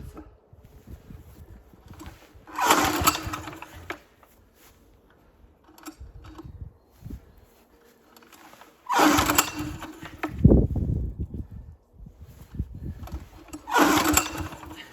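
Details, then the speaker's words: 178F diesel walk-behind tractor after winter, full throttle and decompressor lever used, oil topped up; owner suspects oil sensor: three cranking bursts catch a few chugs with smoke but die; fires but won't start. "дим йде вспишка є але не заводиться"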